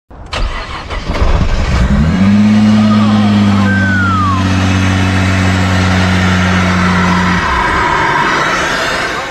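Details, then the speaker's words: 2018 Nissan GT-R after crash rebuild, first start after fitting new upgraded aftermarket injectors: fuel pump primes, starter cranks about two seconds, then engine catches and settles into a steady even idle with faint whine; healthy start. "Time to fire up the engine again. You can hear the fuel pump priming. He hits the start button and the engine finally roars to life."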